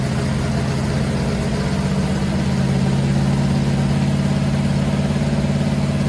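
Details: Freshly built 500 stroker big-block Mopar on a run stand, just after advancing the ignition timing to cure a carburetor backfire: steady, even V8 running with a smooth low beat and no popping; runs cleanly.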